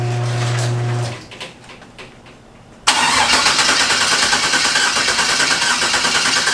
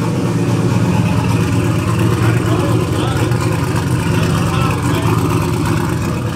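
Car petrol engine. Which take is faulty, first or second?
first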